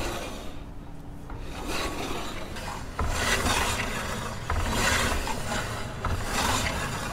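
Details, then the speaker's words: Yamaha NMAX rear brake, wheel freewheeling: rough rasping scrape about every second, rubbing/scraping sound; owner suspects worn-out brake pads, to be checked and replaced. "So meron na siyang kumakaskas or sumasayad na sound. So ayan guys, maaring putpud na yung brake pads na ito."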